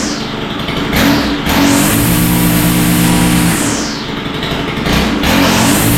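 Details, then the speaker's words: Stihl FS91R four-stroke line trimmer after carburetor work, started on full choke: snaps up cleanly on each throttle blip and drops back, revving freely with slight mixture fuzz. Seems to be idling too rich; the carburetor likely needs adjustment. "all right well it's sounding pretty good but uh I think it needs a little adjustment"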